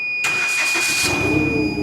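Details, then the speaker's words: Forklift engine with check-engine light, cranked in short pulses then catching into an uneven misfiring idle; slow to rev; needs nearly all ignition coils and plugs (coil-on-plug system). "It's gonna need coils. Like pretty much all coils and plugs. It's misfiring. You'll hear it right now."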